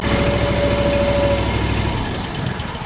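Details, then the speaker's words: Small engine with an electronic fuel solenoid on a brand-new carburetor fires after being choked with pliers, then runs at a steady, even beat before winding down; normal running once started. "There it is. Like I said, even though it's brand new, it doesn't mean it's working."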